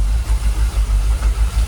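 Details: Jaguar XKR idling about 800 rpm, fuel pressure holding 45 psi: low, even thrum with steady pulsing, nothing knocking or ticking; engine calmed down, no longer rocking; normal idle, no warning lights.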